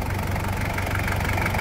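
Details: 1997 Toyota Hilux SW4, 1KZ-T 8-valve turbo diesel, after engine service: even, rapid diesel clatter with steady rhythm and strong low drone, no misfire or irregular knock; normal running.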